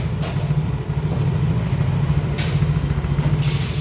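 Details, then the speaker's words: XRide motorcycle that was hard to start on the electric starter, after battery replacement and checking wiring; non-original regulator/rectifier found faulty: now electric-starts and idles with steady low even hum, no knocks. "nah ini sudah bisa dilakukan starter tentunya setelah kita lakukan pergantian aki dan memeriksa bagian komponen-komponen terkait"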